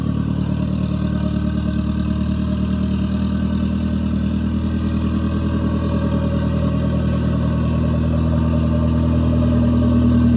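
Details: Toyota MR2 with Gen5 engine swapped in from a Caldina, first start with no exhaust fitted: loud open-pipe rumble, fairly even beat around idle, settling smoothly after revving; normal idle.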